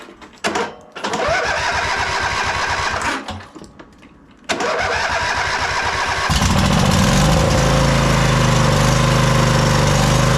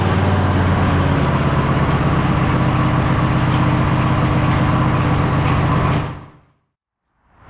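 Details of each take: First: MTD White Outdoor GT2550 garden tractor, 25hp Briggs & Stratton V-twin, started after heat-gun warming and battery; both cylinders working but runs loud and lumpy, beat wavering under throttle, from a poorly running carburetor. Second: MTD White Outdoor GT2550 garden tractor, 25hp Briggs & Stratton V-twin: steady even idle, regular beat, no stumbles or pops until shutoff.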